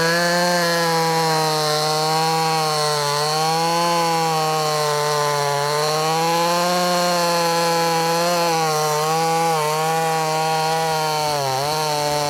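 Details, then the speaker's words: Brand new, unbroken-in Wemars 6220 clone chainsaw, tuned leaner from rich factory setting: loud high strong tone steady through the cut, dipping slightly and recovering cleanly, revs freely; normal running under load. "It sounds good. It also sounds loud. And I guess what I mean by it sounds good, it sounds like it's going to be powerful. Rev's good."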